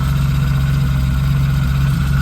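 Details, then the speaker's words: BMW E36 drift car with a 2.3 straight six and aluminum flywheel, standing years in a yard, started on the first turn of the key: smooth, even low hum with a steady beat, no knocks or misses; normal, healthy idle. "Um but yeah, she's idling. Well, look at that."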